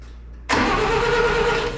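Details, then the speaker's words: Satoh S-550G tractor, 4-cylinder gas engine, cranks steadily without catching. Points are seen opening and closing but no spark appears, and a test light showed no power at the coil. Owner plans to clean the points; no-start cause unconfirmed. "Oh yeah, she's opening and closing, but I ain't see no spark."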